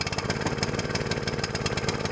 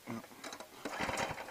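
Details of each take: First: New SPS longtail mud motor during break-in, fired after the choke was reset to run: the small engine chugs along at a fairly steady beat, a bit uneven as it settles. Normal running. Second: New longtail mud motor small gas engine during break-in, with choke and throttle set: quick recoil-starter pulls with no firing. It cranks but won't start, and the owner thinks the fuel line was off.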